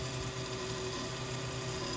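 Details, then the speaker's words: Used ATI Radeon 9800 Pro AGP card with Molex power, tested in a Dell Inspiron, no video output and no hard drive boot heard: steady whirring hum with rough, uneven buzz; cooler fan sounds bad, thermal paste found dried hard. "Alright, right away I can hear the fan sounds like ass on it. and no video out."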